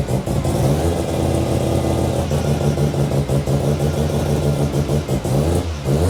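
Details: New 13B Bridgeport rotary on first start after priming, with injectors and igniter reconnected: catches and revs in quick rising and falling bursts, firing steadily without misses or knocks; a clean start.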